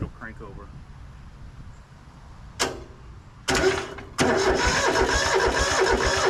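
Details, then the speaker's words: Rusty Hinomoto (rebranded Southern) diesel tractor, unstarted for 2–3 years and needing a radiator, jump-started through thin jumper leads: sluggish, uneven cranking that never catches. Owner suspects the battery and wimpy leads pass too little amperage for the glow plugs. "I don't think this battery is going to be good enough. We're probably not passing enough amperage through this wimpy little lead for the glow plugs."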